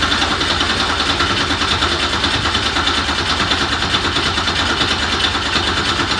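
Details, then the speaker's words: 1969 Porsche 911 with a swapped Subaru EZ30R flat-six: starter spins steadily about three turns a second but the engine never fires; the no-start was traced to ignition voltage dropping while the key is turned to crank. "every time I would crank it well nothing would happen basically and sure enough AJ to the rescue his guy said we check your ignition that when you're actually turning the key that that ignition voltage doesn't drop"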